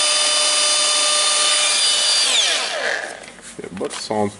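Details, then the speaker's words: Makita DGA504 cordless angle grinder after armature ball bearing replacement (bad bearing caused banging noise): high steady whine at full speed, no grinding, clean spin-down after switch-off; slight additional sound, bearings sound healthy. "taking the good battery I'm testing it sounds not bad you have some additional sound"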